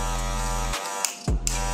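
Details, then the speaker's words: Cordless Magic clipper newly fitted with a ceramic blade, blade position not adjusted: a steady buzzing hum with a slightly rattly edge, cut once briefly. The noise is likely from a worn, loose blade seat; slightly noisy but judged normal and safe. "Oke Sama aja dan ini suaranya rada berisik karena Emang bawaan dudukan atau Kayaknya dia udah aus sudah longgar Jadi rada berisik sedikit suaranya tapi ini normal aman"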